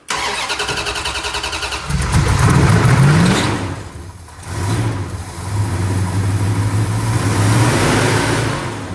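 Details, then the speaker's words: 1970 Dodge Charger, new fuel hose and filter, 2 gallons in tank: rhythmic cranking, brief catch, revs and sags without idling; not picking up fuel to the pump. "Well, this thing's not picking up fuel to the fuel pump. So, I'm going to just try to pressurize this tank a little bit."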